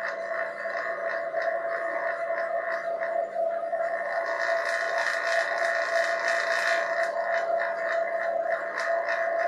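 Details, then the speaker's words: Home-made 1234YF recovery machine (2018 Mustang AC): vacuum pump pulling down its own side with the tank valve closed. Steady mid-pitched drone with a faint rising hiss, tone shifting as vacuum forms. Running normally. "so i change a tone is it calling a vacuum on that part of the unit and as soon as i open this valve up it'll change tone again because it'll have to pull this down into a vacuum"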